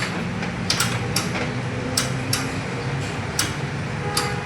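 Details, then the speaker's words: Under-gallon water dispenser (Miyako/Artugo) with switches on and lamp lit: only sharp ticks about twice a second over faint hum, no pump suction sound; pump not running, cannot draw water. "Dia tidak bunyi. Jadi memang ini tidak nyedot, Teman-teman, ya. Jadi tidak ada bunyi sedotannya. Akhirnya sistem penyedotannya tidak hidup ya,"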